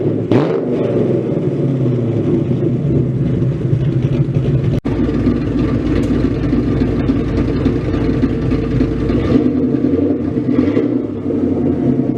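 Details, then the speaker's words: Freshly built 302 stroker Ford Mustang V8 at its first start, warmed up, given a few quick throttle blips but not revved high, still in break-in with about 400 miles left and untuned. Deep lumpy rumble rises cleanly and settles evenly: normal free revving. "i'm not going to give it you know too much i'm not going to rip for the sky but i am going to give it just a couple of quick taps"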